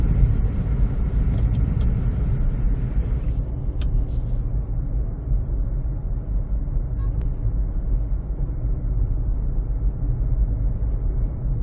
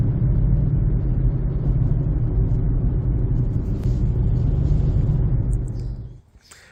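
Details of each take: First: 2007 Honda CR-V (third generation) after replacing tires that had flat spots and cupping: steady, even low road rumble with no rhythmic wub-wub or hum, normal tire noise, the earlier noise gone. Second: 2007 Honda CR-V Gen3 while driving: heavy low rumble pulsing about four times a second from a front tire, a 6-year-old Black Lion with cupping and flat spots; noise moved front after rotation, gone after new Bridgestone Ecopia tires.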